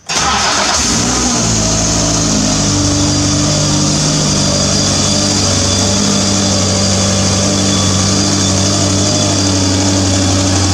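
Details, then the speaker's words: W.A.R. Corsair homebuilt aircraft engine run after muffler rework, before fiberglass wrapping; engine catches and runs steadily with a fizzy buzzing over the exhaust note, an unidentified rattle vibrating in the muffler, owner expects the wrap to cure it. "they seem to have some kind of rattle in the muffler right now i don't know what's vibrating on it"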